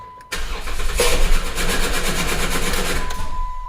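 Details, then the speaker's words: 2011 Jeep Wrangler 3.8L with misfire and cam sensor codes P0340/P0344/P2305, after a new coil pack, injector and plugs and a PCM replacement and programming: brief crank, then a harsh scraping rasp as it starts; flex plate or starter failure suspected. "Okay, guys, so I think either our flex plate broke, or our what do you call it? Or starter broke."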